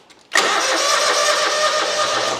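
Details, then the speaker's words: Hustler zero-turn mower brought in by a customer: starter spins the engine in one steady whirring run for about two seconds but never fires. Crank-no-start; the customer said the choke is broken. "uh-oh it's not [Applause] starting I had to do this when I brought it in getting full chage oh that's right the choke is broke I forgot the guy told me that"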